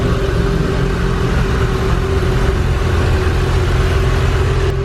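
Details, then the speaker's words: 1995 Ferrari F355, straight-piped, F355 Challenge engine, new clutch, first start after sitting about four years: deep steady V8 idle with slight cam-like lump, no knocks or rattles; healthy normal idle. "first startup with the budget ferrari in three two one oh it started right up wow really good"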